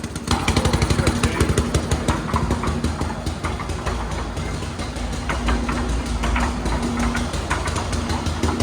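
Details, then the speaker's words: Dad's old concrete mixer small single engine, after carburetor jets cleaned, runs on its own but chugs unevenly with stumbling beats and no steady rhythm; running rough, needs a tune-up, oil change next. "Yeah. It sounds like Needs a tune-up."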